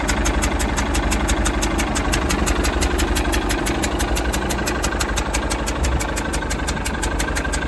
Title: 2002 Mercruiser 3.0 alpha one clicking/ticking noise